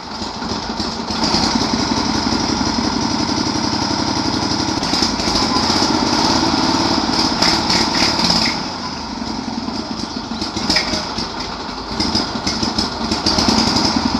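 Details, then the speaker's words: Sears lawn mower, freshly revived after adding gasoline and an earlier spark problem: loud, buzzy single-cylinder run that dips briefly then picks back up. Firing and keeps running. "well that sounds pretty promising so I'm totally shocked it cranks over it runs it's totally shocking"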